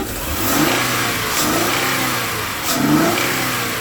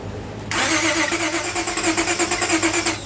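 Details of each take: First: Car with crank-no-start, idling on its own after about 5 minutes on supplemental fuel: steady idle, then a snap throttle revs cleanly and drops back smoothly; healthy response, clearing up. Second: Towed-in car with a crank no-start, new spark plugs fitted, trying to run on its own with fuel treatment and cleaner: starter churns in quick even pulses but the engine never picks up. Crank no-start from water-contaminated fuel.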